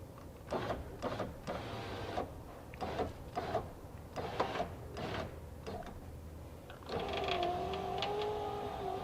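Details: 2004 Nissan Titan front left driver's window, new motor and regulator assembly test run during installation: clicks, then steady motor whine rising and falling slightly as glass travels; runs smoothly, normal operation.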